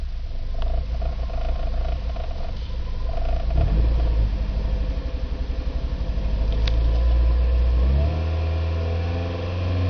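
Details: Nissan Micra K11 1.0 petrol: uneven stumbling pulse about four times a second from cylinder 1 misfiring below 2,500 rpm, smoothing as revs rise.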